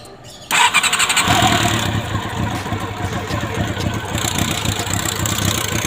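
Engine fires and settles into a fast, uneven clattery rattle over the running note; a mechanical rattle whose source isn't pinned down.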